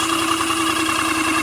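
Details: Airless paint sprayer coming back to life after sounding bad and smelling of burning: steady, even motor hum at constant pitch with no stumbling or surging; pump running smoothly again, though it keeps blocking even with thinned paint.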